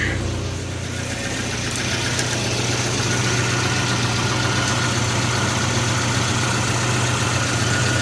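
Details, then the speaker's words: 1985 Volvo 240, just out of storage, restarted on a mostly dead battery after the drive belt was tensioned, though still slightly loose: smooth, even idle with a steady low pulse and no squeal or knock. Alternator then reads 14.5 V, so it was not faulty. "Let's see if she'll start again with the mostly dead battery. Now she started again."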